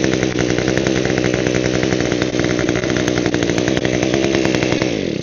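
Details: Echo hedge trimmer with locked blades, primer bulb broken: small two-stroke revs hard and steady with a buzzing drone but no blade movement. Drive is seized; owner suspects grime between the blades is holding them, not yet confirmed.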